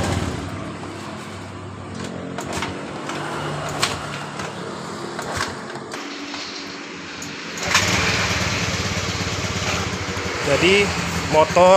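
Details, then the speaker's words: 2015 Honda Beat Pop scooter, stalling and weak before, now after rotak replacement and 42 PSI reading: several kick-starter kicks, catches at about eight seconds, settles into an even run with throttle blips; normal idle. "langsung hidup seperti ini setelah kita mengganti di bagian rotaknya"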